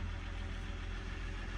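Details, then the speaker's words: Dodge 1500 diesel pickup at auction, listed mechanical damage; steady low diesel clatter at idle, no odd knocks or misses; oil pressure mid-gauge; normal diesel idle. "how these are supposed to sound to me that sounds like a diesel normal diesel"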